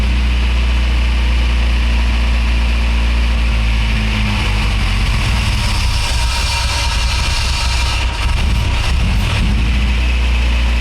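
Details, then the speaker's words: Acura RSX after swapping in different fuel injectors, system primed, no leaks: deep uneven loping idle with stumbles; runs rough, improved with original injectors back; owner suspects injector problem, unconfirmed. "doesn't look like the car likes that so now we need to figure out a plan B"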